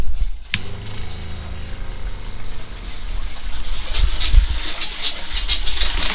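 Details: RV water pump, a quieter replacement for the factory pump, with some air still in the lines: low, steady electric hum with a few light clicks and knocks as it runs, and it shuts off; normal water pump operation.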